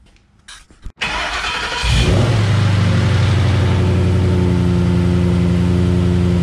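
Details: 2007 Mustang GT 5.0 stroker with Manley internals, custom Todd Warren cams and 120 lb valve springs, after Blow By Racing cam phaser lockouts fixed the knock when warm: cranks, catches cleanly, smooth even idle with no rattle or knock.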